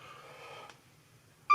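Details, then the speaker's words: ESP32 with JSN-SR04T ultrasonic sensor sump capacity monitor: sudden steady high beep as distance shrinks; the low-distance alarm, whose tone is driven by the measured distance. "as we lose distance the alarm starts going off and my alarm is Goofy it's the the alarm is the tone of the alarm is driven by the distance"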